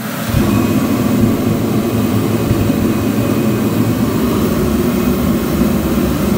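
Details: Kerosene/diesel heater running inside during a two-hour carbon monoxide test, low on fuel, restarting after its thermostat clicked: steady deep roar of burner and fan, even hum, no surging or sputtering, normal running.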